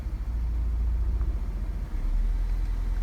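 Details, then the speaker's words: 2005 Nissan Altima 2.5 four-cylinder, 200,000 on the odometer, code P0301 for cylinder 1: an uneven, stumbling idle with dips. Cylinder four is also misfiring badly, so more than one cylinder is affected; it seems ignition-related. "okay so that dropped that it does seem like right now cylinder four is uh a bad misfire um so it gives us a little bit of direction we got more than one cylinder"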